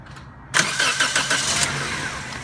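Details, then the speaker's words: 2003 Toyota Corolla whose starter was replaced by someone else: the starter whirs, the engine catches with a few uneven firing pulses, then dies instead of idling; it starts but won't idle. "so just starting and then just shutting itself back off"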